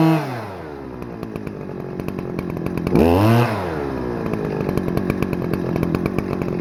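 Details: Stihl FS-250R 40cc two-stroke trimmer after a carb rebuild kit replaced the hardened diaphragm from old fuel, on 50:1 ethanol-free mix at full throttle after setting the high and low screws: crisp, even buzz climbing smoothly to a high scream with no bog; revs high, runs great.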